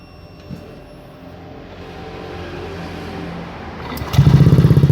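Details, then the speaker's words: Honda Beat FI scooter, about a year old, after idle adjustment screw turned three turns: it catches and settles into an even idle of about four pulses a second. It no longer stalls; the idle is now steady. "kita tunggu sampai stasioner nah ini motornya sudah stasioner kawan-kawan sekarang gak mati lagi motornya di sudah enak sudah stationer jadi tiga putaran ini udah cukup stasionernya sudah enak"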